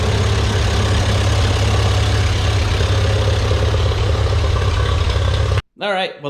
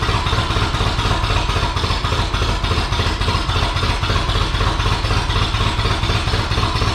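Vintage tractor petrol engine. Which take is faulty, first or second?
second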